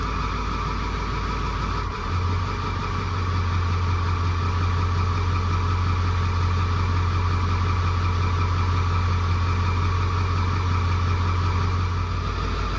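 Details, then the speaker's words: 2002 Ford F250 7.3 diesel, shaking and smoking with a haze, idling: deep idle with an uneven loping beat and a dropped cylinder, felt in the steering wheel; misfire, injector 7 buzzed weak and cylinder 8 flagged, faulty injector. "You can feel it in the steering wheel. It's got a miss."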